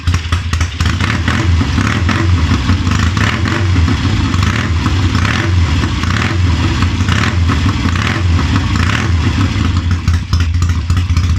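Strong even firing with clean blips of the throttle, revs rising and falling smoothly, no knocks or misses: this twin runs healthy.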